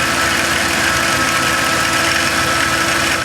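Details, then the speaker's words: 2006 Dodge Caravan heard from underneath with the plastic cover removed: steady, busy metallic rattle over the idle from the belt tensioner pulley, which was then replaced; tensioner pulley rattle. "okay guys you can probably hear the rattling coming from that tensioner pulley pretty"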